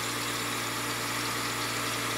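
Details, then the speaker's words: Acura RSX Type S idling after first start in months, not in gear: smooth, even idle with steady low hum, no knocks, ticks or misses; motor sounds healthy. "this car hasn't been started in months yeah we know we got to get rid of all of that kind of rough on that side but the motor sounds healthy"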